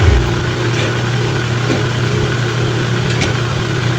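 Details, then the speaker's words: Fujidenzo washing machine that previously only hummed. After the repair, with the ground wire taped, the washer motor runs via the timer with a steady low hum; the only noise is soft fan air from its cooling, no grinding, running normally. "Kita nyo? Walang ingay. Ayan o, yung ingay lang yung pagaspas ng hangin ng kanyang cooling"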